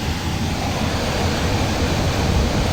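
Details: Newly replaced single-phase blower motor in a chilled-water FCU, wired with capacitor: steady, even rush of air with a low hum, no rattle, scrape or wobble; drawing about 4 A against 8.4 A rated; healthy.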